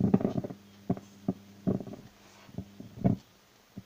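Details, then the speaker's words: Labtec powered speaker crackling and popping in irregular bursts over a low hum whenever its cable is moved; possibly two wiring faults, and the volume potentiometer is to be replaced first. "Включаем. Шевелим провод. И как вы слышите, колоночка потрескивает."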